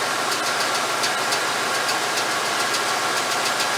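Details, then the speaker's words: 1989 Chevy K5 Blazer, GM TBI engine, after setting ignition timing and reconnecting the ECM advance connector (an estimated 16-18 degrees advance at idle): smooth, even idle with a light steady patter, no heavy knock; quieter, now starts properly. "But you can see the engine's quieter. You can see the way it started up. It started up nice the way it's supposed to."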